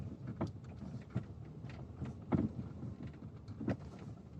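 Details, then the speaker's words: Lada XRAY Cross while driving, after a dealer visit for steering rack knock: irregular dull knocks about one a second over road rumble; dealer had not replaced the bolt on the splined steering shaft, loose spline joint. "в итоге они не заменили болт крепления реки не рейки а штока со шлицами"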